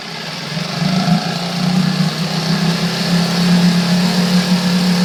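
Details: Coleman 5 hp outboard, manufactured April 2012, revved to about 2000 RPM: buzzy steady drone with loose uneven rattle like a loose exhaust pipe; nothing visibly loose with cover off, source not found.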